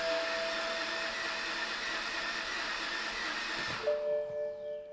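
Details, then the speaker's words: 2011 BMW 328i E90 with a crank/no-start fault, cranked with a new battery: a smooth, high whirring crank with no compression beat that stops without catching, then a chime; it sounds odd, and the starter may be spinning without engaging the flexplate. "Okay, so that did sound a little bit odd to me. I want to see if the engine's actually turning, so I'm just going to put a little line here on the belt so I know if the engine's actually spinning or if the starter is just spinning without engaging the flex plate."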